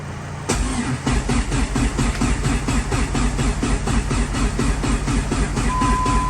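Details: Rebuilt ACR engine on jumper cables: starter turns it over in a steady beat about two compressions per second without firing; cranking healthy.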